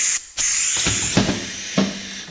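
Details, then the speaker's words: Damaged wastegate on LS-powered 240SX, bench-tested with regulated shop air to the bottom port: sharp steady hiss as air escapes; diaphragm holed by an overly deep dome pressure sensor, leaking between ports; fixed by replacing the wastegate. "listen to the way this sounds when i add air pressure to it so that's opening up but look how much air is coming out"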